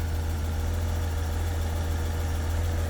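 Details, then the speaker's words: 1991 BMW 750iL V12 after the coil pack fix, check engine light cleared: it has a deep, steady, low idle with no misses, knocks or ticks, a normal idle. "I mean, it sounds better from even just far away. But it's at the right spot. Wendy. Good enough. I fixed it. That coil pack thing was it."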